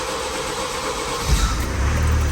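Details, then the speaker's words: Vauxhall Mokka 1.6 CDTi diesel just after a fuel filter change, with the fuel system bled first by cycling the ignition about ten times. It cranks briefly, catches and settles into a normal steady idle. "And there you go. She'll start and run."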